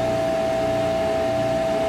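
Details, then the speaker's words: HTP Munchkin boiler on flame fault after reset: steady exhaust induction blower drone with a constant mid tone, no whoosh of ignition; blower runs but burner never lights, pump running, flame not detected. "we're going to watch this port as it lights goes the uh exhaust flower induction blower and hear it click as the gas valve opens"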